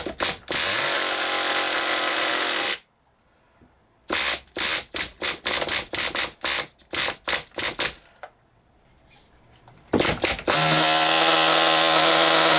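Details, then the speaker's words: Original first-generation HPI Nitro Rush nitro RC car started after many years sitting, run about five minutes to burn off old fuel left in the tank: shrill, buzzy engine blipped in short bursts, then a steady scream, picking up crisply; running really well. Exhaust leaks noted. "I had that running for probably must have been a good five minutes um just trying to run a little nice little bit of fuel out there that was in that tank um and uh it was running really well actually"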